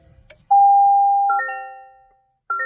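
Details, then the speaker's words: 2024 Toyota Tacoma Hybrid, almost 5,000 miles, won't power on: single clear tone then repeated multi-note warning chime, no engine; ready light flashing, parking brake unavailable, system stopped; weak 12V auxiliary battery. "same error messages system stopped see owners manual will so this is the error that I'm getting and it will not power on at all whatsoever"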